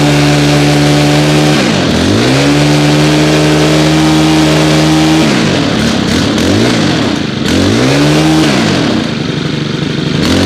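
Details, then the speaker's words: FS90R trimmer with a replacement tank after a cracked one, run at about 30°F after 5 months on untreated ethanol-free fuel, choke now off. Clean revs rise and fall in smooth sweeps with crisp throttle response: normal running. "one of my favorite trimmers right there fs90r great until i cracked the tank last year had to get a new tank that is fine runs good now"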